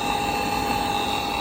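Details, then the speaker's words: Power vent fan motor running with its outside cover removed: a loud, steady rough grind with a high whine on top. The motor is failing and is to be replaced. "but yeah this thing's grinding away and it's really becoming a problem so we're going to get this replaced"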